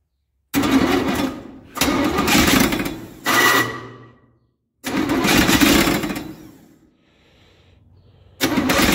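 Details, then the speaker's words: Chevy 283 V8 in a parts truck, not run in a while, choke on: four harsh, uneven cranking bursts; the new starter is held by only one bolt, sounds bad, and owner expects its nose cone to break. "That starter does not sound good, but like I said, it's only got one bolt in it. I'm kind of waiting on the nose cone of it to break."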